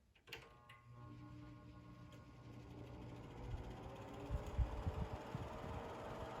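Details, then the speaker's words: New-old-stock Seabreeze Cool Sweep fan, 120 VAC, first start on low: a few uneven knocks and rattles, then low hum builds to speed; owner suspects motor just needs to break in. "startup didn't sound too healthy but that might be the motor just needing to break in a little bit"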